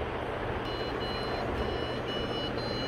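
Faint, high-pitched long beeps repeat with short gaps over a soft hum; the PC is giving a startup error code.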